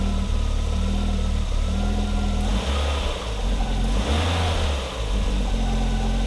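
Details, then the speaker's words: 1987 Audi 5000 CS Quattro turbo with CIS injection, after new fuel injectors: clean rise and fall through several throttle blips, then a steady, even idle with no stutter or misfire. It runs much smoother than before; normal running. "i have to say this thing runs a lot smoother and when i turn it on it doesn't do that stuttering in that first 15 seconds"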